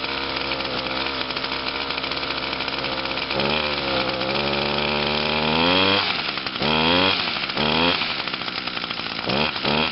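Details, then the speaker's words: 2011 Echo PAS 230 22.8cc two-stroke, still cold and breaking in (harder to start than the owner's other Echoes), buzzes at fast idle then blips up in short clean rising revs; normal cold running. "and there's the Pas 230 running yeah she's cold"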